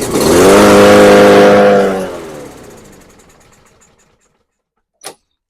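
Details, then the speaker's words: Murray EX550 push mower with a Briggs & Stratton engine that sat over winter: after fuel is sprayed past the carb butterfly, it catches and revs loudly about two seconds, then dies within four as the sprayed fuel burns off. A fuel delivery fault; carb removal and cleaning follow. "right, so that did exactly what I wanted it to do, start for a few seconds. If it keeps running, that's a good sign too. That means, the carb's not as dirty as we thought, but it shut off after a second. That just means it, burnt up what fuel we sprayed in there."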